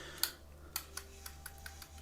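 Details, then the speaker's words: Abu Garcia Revo X (4th gen) baitcaster reel after an aftermarket drag clicker is installed. Sharp, light clicks about three a second as the clicker works normally. "Okay, the clicker is somewhat clicking, as you can hear already."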